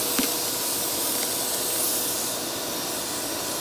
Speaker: yeah you're sucking them up man they're coming through i can hear i'm going through the hose oh yeah listen to that it's still coming through yeah there's a lot